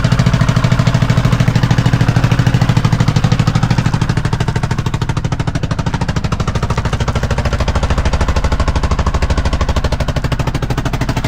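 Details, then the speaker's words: Kawasaki Mule at idle in neutral, hard rapid evenly spaced exhaust pops far louder than normal; excessively loud exhaust, owner suspects muffler guts blown out, no leak visible. "You can sure hear it. It's obvious there's a problem, but I don't see a problem."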